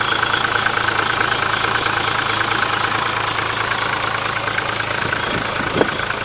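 Steady, even diesel clatter at idle, no misses or heavy knocks over the rumble; this engine is running fine.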